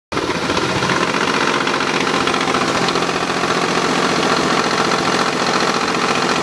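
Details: Mazda RX8 at steady idle with a coarse, rapid knocking rattle about three or four times a second over the engine; horrible abnormal engine noise, cause unknown.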